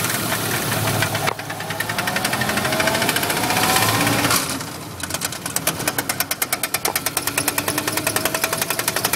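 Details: Willys MB drivetrain: sharp regular knock, about three a second, over the revving engine, worst in 2nd gear and fading or stopping when the clutch is pressed; drivetrain knock.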